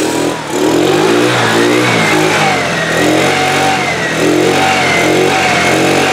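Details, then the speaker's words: 2013 TaoTao scooter after carburetor work, revs surge up and sag back instead of settling to steady idle, struggling to keep running; owner suspects fuel delivery problem, possibly fuel pump not flowing enough fuel, not confirmed. "okay sounds like a fuel delivery problem and I'm wondering if we may have an issue with this fuel pump maybe it's not working properly"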